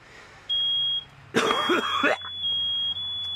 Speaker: now you can hear both of them going off finally because we mixed up the air a little bit